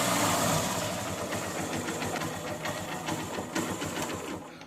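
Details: Honda bike, possibly a Shine, after repairing the self-start motor, carbon brushes included, and refitting its wires and bolts: fires on the electric start and settles into a quick, light ticking idle that fades away; normal start and idle.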